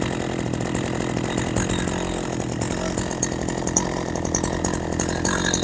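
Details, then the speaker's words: Husqvarna 40 chainsaw, after adjusting the idle screw down from too fast: low, slightly burbling two-stroke idle holding steady without surging, chain stays still; idle is set right. "That's what we want for a chainsaw. We don't want that chain always spinning."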